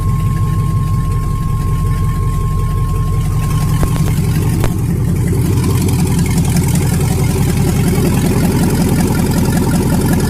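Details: 1999 Yukon 5.3 V8 on its first start after the computer came back, mass airflow sensor not yet connected: loud, deep, lumpy but steady idle from open exhaust, no knocks or ticks; good oil pressure, runs fine.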